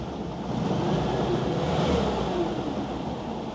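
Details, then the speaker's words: WWII Volkswagen Schwimmwagen after new fuel filter and idle mixture adjustment, propeller engaged and turning: even, steady engine hum under splashing, wind-like background, no knocks or stumbles; normal running. "turning how's that how often do you get to see a propeller running on a swim wagon how good is that"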